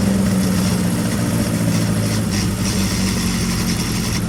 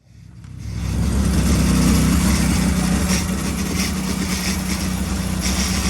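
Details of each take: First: Carter998 engine on dyno making 100 horsepower on its 43-year-old valve springs and second-hand pistons, no smoke: loud steady drone with even low hum, no knocks, misses or rattles; normal healthy running. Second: Carter 998 engine on the dyno with the distributor untouched; a timing light showed 55 degrees of advance at idle. A low, slightly uneven beat through the idle, then a quick blip. Lumpy idle from over-advanced ignition timing.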